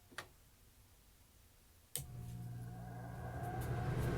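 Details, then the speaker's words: Air conditioner start after replacing an old thermostat with a new digital model: a click, then the compressor energizes into a steady low hum with an even tone that grows and holds, air cold; normal, healthy start. "But yep, it's cold, so it's energizing the compressor for sure."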